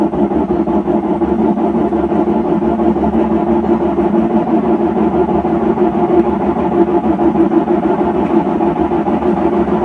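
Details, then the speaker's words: Hotpoint (lower-end GE) washer starting its slow spin after lid lock and shift actuator; steady low roar from compromised drum bearings, growing louder as it spins up to speed; repair choice is bearings versus new gearcase. "And I can already hear that the bearings are compromised on this machine. You can hear that slight roar. But as it spins up to speed, it'll get louder and louder."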